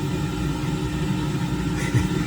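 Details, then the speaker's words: Diesel air heater in Ford F350 truck camper, first working after persistent fuel pump error: steady low hum and rumble, even tone, no surging; normal running. "Well, it's been a long time coming, but what that noise you hear is the heater working."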